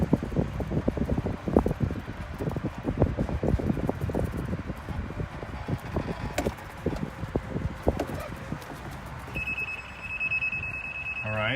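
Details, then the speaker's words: Golf cart rolling near the green toward hole 2 enters the restricted geofence: tire and wind noise, then steady high-pitched electronic warning beeping as the cart shuts down; it can only back out the way it came. "the geofence is engaged as I got over close to 2. It's beeped at me."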